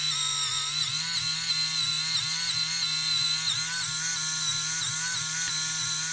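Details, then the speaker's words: InMoov robot shoulder servo, screw heads catching on unfiled printed top piece: high buzzing whine with recurring waver; servo straining under load, suspected. "I think we're just making the servo struggle a little bit"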